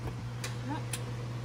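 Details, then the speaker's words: Semi truck diesel just after fuel line, O-ring and fuel filter sensor work, expecting 100 psi fuel pressure: a steady low idle with an even beat and no stumble. The engine runs well now. "[Applause] that sounds a lot better [Applause] 100 oh thank you there we go a lot better [Music] thank you oh yeah okay it runs real good"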